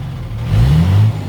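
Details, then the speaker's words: 2003 Freightliner SC-8000 Schwarze A7000 sweeper, Cummins 5.9L straight-six diesel, just restarted after sitting almost 2 years: low rumble rises smoothly on a rev and settles back, no knocks or rattles. Oil pressure light clears with throttle, probably low oil. Motor sounds good. "the motor sounds really good"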